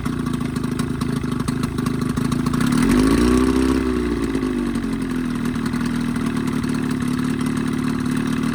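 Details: Evinrude 20hp two-stroke outboard modified to 25hp, after full service, reeds, primer seals, thermostat; steady buzz that picks up briefly around three seconds then settles, firing evenly; earlier lean coughing and spitting fixed, running fine.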